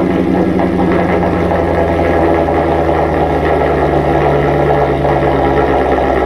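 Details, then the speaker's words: Modified Mercedes SL55 AMG V8 at idle in the garage, heard from the front of the car: deep even burble with no belt or pulley squeal, chirp or rattle; engine sounds healthy. "dancy is Rowdy she sounds healthy dude that engine is whisper quiet no no belt noises or pulley noises or nothing that thing is dead silent when you're standing up here in the front of it"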